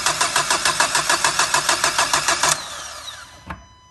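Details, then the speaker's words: 1.5 dCi diesel with a starting problem, before electronic diagnosis: even cranking at about three beats a second for two and a half seconds that never catches. It lacks diesel fuel pressure, so no start. "Comme vous entendez, et là, il manque de gasoil, il manque de pression de gasoil."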